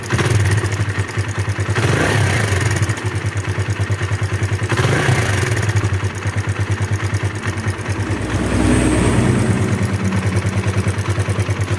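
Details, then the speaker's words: Kawasaki KLX 150, fairly new from the dealer, single-cylinder idling with a rough metallic clattering tick, "kletek-kletek"; cam chain tension and valve clearance to be checked, loose cam chain suspected; engine described as rough. "ya suaranya seperti itu suaranya kletek-kletek kita akan Cek nanti setelan keteng sama setelan klepnya ya teman-teman ya seperti itu"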